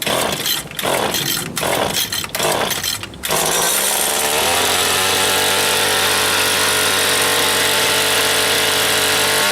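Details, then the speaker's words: Older Stihl FS80 trimmer, made in USA, mostly sat unused; few choppy stumbling revs, then a thin steady buzz that never climbs. Won't rev with choke off, speeds up only with more choke; owner blames ethanol fuel, carburetor to be rebuilt. "it'll start you turn the choke off and it just kind of won't speed up the only way it'll speed up if as you put more choke on"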